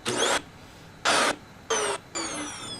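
Four short bursts of airy motor roar with a whine that drops as each burst winds down, no grinding or rattle; the vacuum motor sounds fine.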